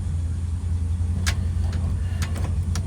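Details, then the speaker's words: 1963 Buick Electra 225 shifted into reverse: low idle rumble with a few sharp front-end knocks on the change of direction; not brakes but a worn right front ball joint with play. "It's that right front corner. Not a braking issue. It's right front corner. Oh, yeah. That's definitely that ball joint rattling around on the right front."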